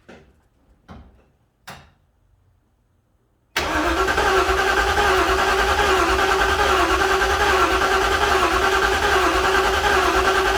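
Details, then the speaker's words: 1956 Ford F-100, engine cranked for first start with newly wired ECU, cranking to build oil pressure through remote oil filter reservoir; few clicks then steady even crank about three per second, never catches; starter working, normal cranking, no start. "I can see it's going to take a while to crank it to build up oil pressure completely. So I'll crank on some more here. But that's good, I'm happy, at least the starter's working."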